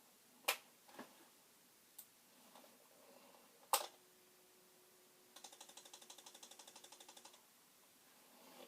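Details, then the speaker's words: Commodore 1520 printer plotter, second unit, no pens fitted, on regular power cord at power-on: about two seconds of quick, even clicking, roughly ten per second, from the mechanism trying to do something; cause unknown. "I'm going to turn it on. Let's see if it does anything. Okay, it's trying to do"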